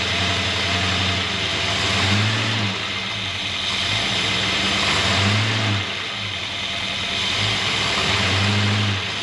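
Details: 1963 Jaguar Mk10 with Mopar 440 V8 after earlier low-end knock, 80 psi oil pressure: smooth, even revs rising and falling with no knock under the exhaust; owner theorizes a main or thrust bearing gap caused it; normal revving.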